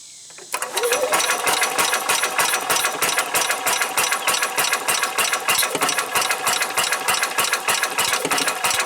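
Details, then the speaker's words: 1990 Club Car golf cart engine being diagnosed: starter turns over slowly, about three even chattering beats a second, never fires; slow weak cranking, suspected battery too small. "and that would be a no I don't know this battery might just be too small see if I can find that bigger one"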